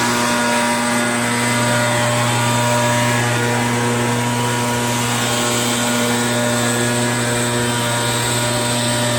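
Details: RedMax EBZ8050 gas backpack blower two-stroke after new piston rings fixed no compression (rings very tight, hard pull, hard start): steady high-pitched drone holding even revs, no misses or knocks; running healthy on fresh rings.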